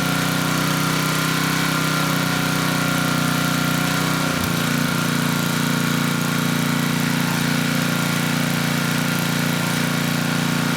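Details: Tecumseh HM100 10hp engine on a Western Hemisphere 6,000 W generator, after oil top-up: steady but slightly slow running with a brief dip midway. Engine speed low; governor spring adjustable, but carb and needle-and-seat need cleaning first.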